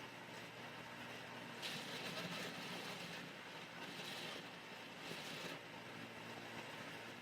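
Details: Philips 3000 Series blender blending beans, peppers, onions and crayfish: a loud roar with uneven surges and a buzzy chatter because the lid is not seating securely and rattles. The noise drops when the lid is held down by hand.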